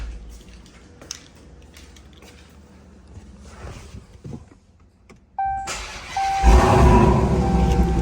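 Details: Dodge Challenger Redeye with an IGLA anti-theft alarm just installed, started with the key fob present: quiet clicks and a chime, then a short crank, and the engine catches and settles into a strong, steady rumble. Normal start.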